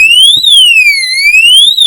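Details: Oxford Screamer anti-theft alarm in a motorhome, test-fired: a loud, piercing siren sweeps up and down about every second and a half; the alarm is working properly.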